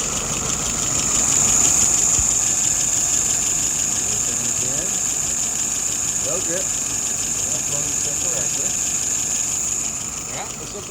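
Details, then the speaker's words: Restored WO 636SA carburetor on a 1948 Willys CJ2A, warm restart; slow, even idle with a steady beat, no stumble or misfire, idle about 660 rpm, fuel pressure about 2.75, vacuum 23.5; normal idle. "Right now, idle RPM is at about 660. Looking good."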